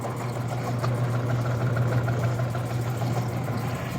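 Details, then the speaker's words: Rebuilt Clipper Super 47B grain cleaner, fan at its slowest setting: a low, even hum at one steady pitch with no grinding, squeal or rattle; the motor starts strong and runs quietly and smoothly. "all right here you can see it running fired right up motor starts strong runs strong runs nice and quiet nice and smooth"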